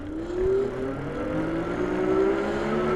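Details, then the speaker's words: AKEZ 750 W fat-tire e-bike (Super 73 clone) at full throttle: the hub motor gives a smooth, steady whine rising gently with throttle, with absolutely no hopping or surging. "absolutely no hopping the motor is nice and smooth"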